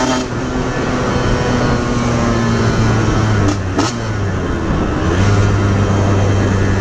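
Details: Aprilia RS50 frame with YZ85 two-stroke engine: revs up, then breaks into burbling, chugging stumble under throttle instead of pulling, bogging under load; cause unknown, owner suspects tuning.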